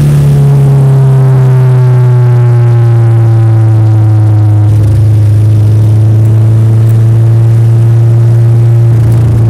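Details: Nissan S13 engine revving up and settling, with a lumpy, uneven beat under the steady drone; misfire.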